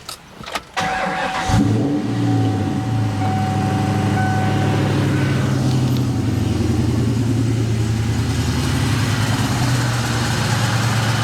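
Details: 1998 Mustang Cobra, four-valve with forged internals: engine runs with rough, rattly churn over the idle from a worn AC compressor clutch, before replacement with new compressor clutch and condenser.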